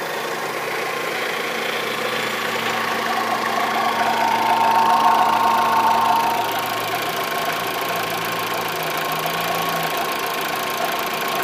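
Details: Fiat Marea at idle: steady, fairly quick tapping about four times a second over the engine; internal engine knock, cause not pinned down.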